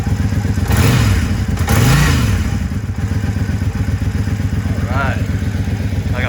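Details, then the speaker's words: Triumph Speedmaster on its first ride after fitting used eBay pipes off a crashed bike: a soft, even, mellow twin pulse with no popping or the old downshift backfiring; much quieter and smoother, possibly from back pressure; normal running. "All right, first ride since I put the new exhaust on. Boy, is it ever so much quieter. And no more backfiring on the downshift."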